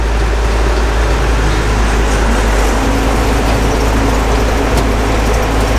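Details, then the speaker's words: Gleaner F combine after separator clutch shaft bearing replacement, separator engaged: steady deep drone of engine and separator, no rubbing squeal or knocking; pulley no longer rubs, slight vibration blamed on engine not running 100% smooth; sounds normal. "I like the fact that that pulley doesn't rub anymore me everything sounds like it should"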